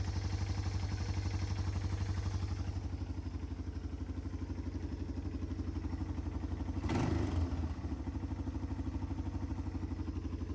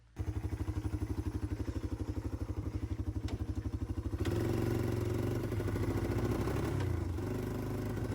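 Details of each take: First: 1995 Yamaha Timberwolf 250 ATV, single-cylinder, after carburetor clean-up (previously zero power), fuel on, idling well without carb leaks; a quick blip climbs freely and settles back, revving out fully with no load. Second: 1995 Yamaha Timberwolf 250 ATV, revived after sitting for years with a destroyed carb: single-cylinder putts unevenly at quarter to half throttle, sounding poppy, then smooths as revs rise; owner suspects pilot jet still rich, may adjust mixture screw.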